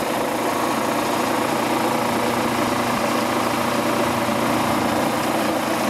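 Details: Quincy Model 325 air compressor, rebuilt lower end, new starter fitted, pump on tank, oil pressure 18-20 psi: steady, even chugging hum with no knocks or rattles. Normal running on test run.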